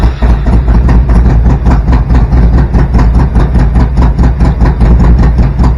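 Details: Harley-Davidson Evo V-twin, 10.5:1 compression with EV27 cam, first start after rebuild: loud loping idle with steady uneven beat, no knocking or top-end ticking; healthy.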